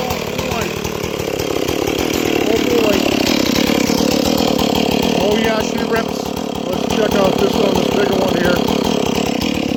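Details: Ported 461 chainsaw with new Caber rings and repaired spark plug hole, first cuts: strong steady high buzz through the cut without bogging or surging; healthy strong engine.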